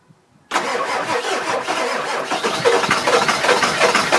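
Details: 2000 Ford F250 7.3 diesel, 208k miles, everything under the valve covers new except the injectors, new cam position sensor: starter cranks steadily at a few turns per second but never catches; crank, no start, owner suspects injectors.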